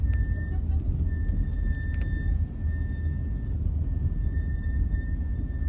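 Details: BMW 3 GT (F34) at 25k km: thin ~1.8 kHz whine while braking at low speed, e.g. approaching speed bumps or in curves. Returned a few thousand km after front pads were changed, calipers greased and brakes bled. Cause unclear.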